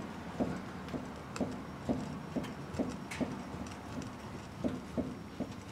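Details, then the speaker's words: 2003 Chevrolet Trailblazer, right front wheel off the ground with a jack under the lower control arm to load the ball joints, joint levered with a pry bar: dull knocks about twice a second, looseness clunk from a worn lower ball joint. "bar so see I still got a little bit of a of a looseness in here I don't know if you can hear it that good"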